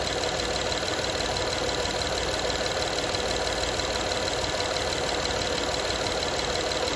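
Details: Honda Odyssey 2012 at steady idle: a fast, light rattle, roughly three to four taps a second, over the engine; owner asks what needs fixing, source of the engine rattle not pinned down.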